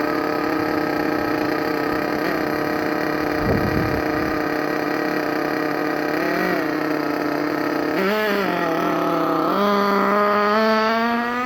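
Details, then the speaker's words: Thunder Tiger EB4 S2 nitro RC car with aftermarket exhaust, just started and warming up in cold weather: high buzzy single-cylinder scream, steady then climbing, slightly burbly; owner thinks it's running a little rich and will adjust tuning. "Going to adjust the tuning slightly, but you can already see what it sounds like, what it goes like. I think it's running a little bit rich at the moment, so we'll adjust that."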